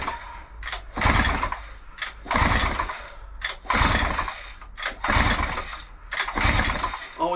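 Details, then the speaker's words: 1975 Mercury outboard, sat 5+ years, cylinders fogged, compression test on the top cylinder: evenly spaced pull-start bursts with steady compression strokes; about 120 PSI, matching the bottom cylinder and within tolerance. "equal amount of pulls top and bottom and we've got more or less bang on the button 120 PSI so they are with in tolerance as good as when it was new"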